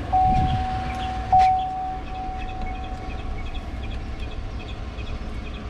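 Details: 2015 Chevrolet Silverado 4x4 after thermostat replacement for code P0128: couple of thumps then a low, even idle rumble with light ticking, no knock or misfire; codes cleared and temperature no longer stuck at 160.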